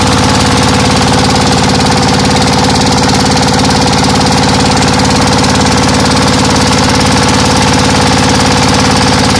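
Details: ZS125 single-cylinder diesel, just repaired for a ticking sound and misfiring by resetting camshaft gear timing, warmed up after about a minute of running: even, steady clatter around 214 beats a minute, no skipped beats or stray ticking; normal idle.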